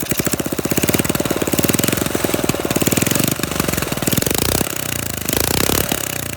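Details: Flathead Briggs minibike engine, open pipe, just started: loud pops in uneven bursts, beat stumbling as throttle changes; rough sputtering running, owner suspects carburetor mixture screw, not confirmed.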